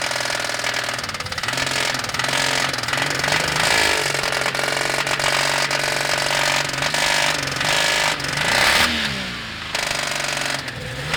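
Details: Toyota 1G-EU engine running: sharp, steady internal knock riding over the engine, even throughout; owner thinks it's probably coming from a particular spot, source not pinned down.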